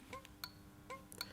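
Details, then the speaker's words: Older-car bimetallic indicator flasher unit on a bench, in series with a lamp on a power supply: sharp paired clicks about every half second, crisp and even; flash rate varies with voltage, won't flash if too low; normal operation. "the flasher unit, and you'll notice the bulbs flashing too. In a car it's a fixed voltage. If we change the voltage, it can flash at a different rate, and if we make the voltage a bit low, it doesn't come on."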